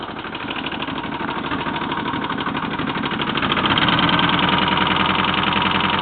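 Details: 1984 Honda GL1200 flat-four motorcycle engine running with a steady knock about three a second that grows louder as revs rise.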